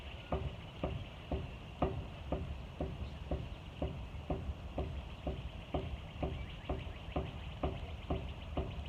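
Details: 2012 Jeep Wrangler Unlimited Sahara automatic with a 3-inch lift and oversized tires, passenger front wheel raised and pried with a crowbar: evenly spaced clicks from play at the hub. The owner suspects the wheel bearing rather than the ball joints.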